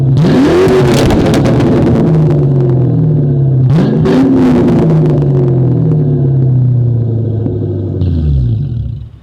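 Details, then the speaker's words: 1997 Ford Mustang GT V8 on a cold day after fitting SLP Loudmouth exhaust and BBK X-pipe, no check engine light: deep, even burble rising smoothly on two quick blips and settling to a steady idle; sounds right. "Let's listen to it just idle. It just sounds right, guys. Sounds right."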